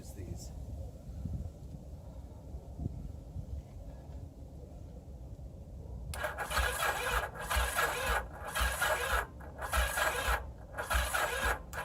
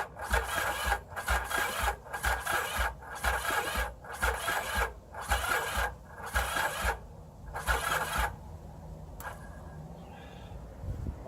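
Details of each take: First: 1981 Yamaha XS850 Special, previously seized engine treated with Marvel Mystery Oil, cranked on a cold frosty morning during spark checks: short, even starter bursts with a steady rhythm and no binding or grinding. The engine now turns freely. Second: 1981 Yamaha XS850 Special, previously seized engine, cold morning, on a jump box: the starter churns in regular bursts about once a second with even compression, but it never fires. Owner suspects no fuel or a stuck choke; unconfirmed.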